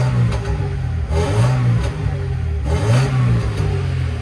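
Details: Mercedes-Benz W202 C180 Esprit, stationary, given sharp throttle blips: a coarse raspy roar from underneath swells with each rev. An exhaust problem is suspected, though the owner doesn't think it is blowing; the source is not confirmed.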